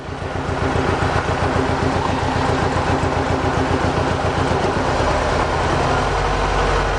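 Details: Mercedes 190E 2.0 M102, sat unused for over 3 years, while warming up: smooth, even petrol idle with a steady low beat and no stumbles or misfires. It is running fine, though the engine mounts are said to need replacing.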